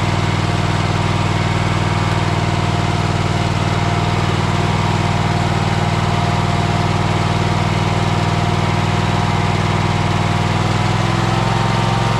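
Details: Troy-Bilt Horse single-cylinder engine running after its fuel pump was replaced, smoke clearing because it had been turned on its side: a steady, even idle with a consistent beat and no knocks or stumbles. The engine runs smoothly.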